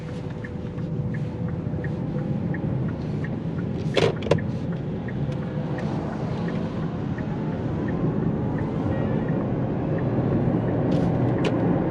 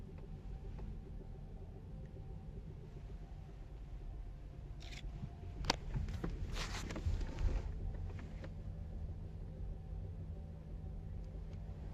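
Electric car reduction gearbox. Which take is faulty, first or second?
second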